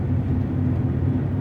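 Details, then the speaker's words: 2000 Honda Accord V6 while driving: a steady low droning hum over road noise. It seems to come from the front, but with the car lifted it was felt at the rear right 5-lug hub bearing. Finding: wheel bearing noise. "es un poco confuso se escucha como si fuera aquí adelante pero y el que yo levante el carro para revisarlos se sentía mucho en este balero trasero derecho"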